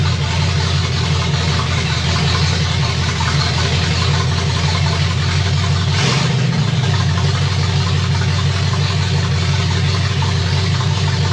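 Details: Chevy 327 small block in 1965 Nova wagon, first fire, Edelbrock Performer RPM Air-Gap intake, open pipes, 30 lb oil pressure, water about 180°F; loud deep steady even lope, no knocks or misses: normal idle.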